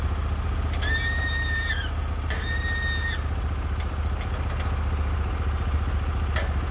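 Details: Norwood HD36v2 bandsaw mill, day two testing new roller guides (ceramics replaced), slabbing big black oak through bark, 1.5-inch slabs, about 24 inches wide: steady heavy engine drone under load with short high blade whistles; cut flat, effortless, motor loaded normally.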